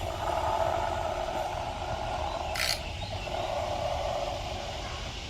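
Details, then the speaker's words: GM engine (Equinox/Rendezvous type) during a rebuild, turned by hand with an 18 mm socket on the crank bolt: a steady airy hiss rising and falling as the crank rotates. This is normal compression bleeding past closed valves. "the engine should turn fairly easy oh yeah and that noise you're hearing is compression because some of the valves on the some cylinders are"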